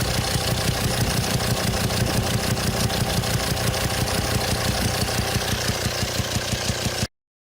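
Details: 2007 Volvo XC90 D5 185bhp diesel at idle, heard at opened intake/throttle body: sharp regular pops about three per second. Cause: sheared exhaust valve hydraulic lifter socket on cylinder 5 holds one exhaust valve shut, backfiring through intake valve; fix is replacing cylinder head.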